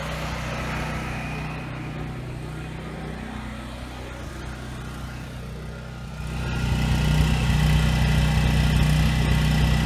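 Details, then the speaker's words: 7-year-old Husky generator, Subaru EX30 engine, after carburetor rebuild for no-load surging: steady even drone deepening slightly as two 1500 W loads come on, no hunting or surging; holds speed well. "Alright, so I got a 1500 watt load there, and a 1500 watt load there. Runs smooth under load."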